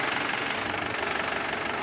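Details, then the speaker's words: Mahindra Swaraj 843 tractor diesel after fixing a hard-start complaint, smoke now reduced: even, fast diesel clatter at steady idle with no misses; running smooth. "दोस्तों, अभी tractor start है, आप इसका sound सुन सकते हैं।"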